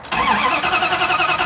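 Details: Truck after sitting eight minutes, test light on the coil supply: steady even cranking with no spark, no firing and no catch; crank no start, coil supply cutting out while cranking.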